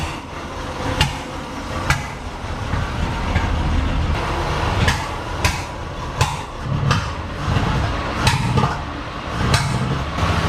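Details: 1937 Chevy barn find: rough uneven idle with sharp pops roughly every second spitting back through the carburetor.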